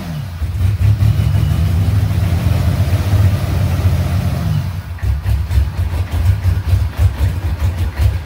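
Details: C3 Corvette with an Olds-style V6 diesel fed from a gas can, after the fuel pump problem was fixed: revs up and holds, then drops to a steady, pulsing idle without stalling; engine running properly.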